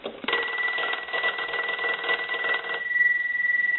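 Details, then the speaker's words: Stromberg Carlson 2-1553 rotary wall telephone after repair and conversion, final checks, ringing the unit: clean even bell ringing with steady bright tone for about 2.5 seconds, no rattle or buzz, rings properly. "we want to go ahead and start our final checks so we'll go ahead and ring the unit"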